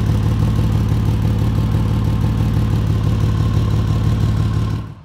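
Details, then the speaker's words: 2004 Ford Ranger idling, steady deep even rumble with no ticking or puffing after temporarily patching an exhaust leak ahead of the flex pipe; sounds better, possibly more leaks further down. "sounds a lot better it's not perfect i think i've got some exhaust leaks down further but as you can see it's it's different"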